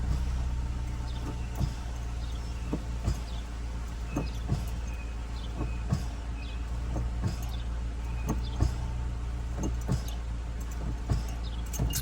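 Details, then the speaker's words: 2012 Scion tC 2.5 L at 98,000 miles, on a cold start idling near 1000 rpm: a steady, even idle with the brake pressed and no dip, after fixing low idle while braking. "see I'm pushing on the brake it's nothing so it is fixed"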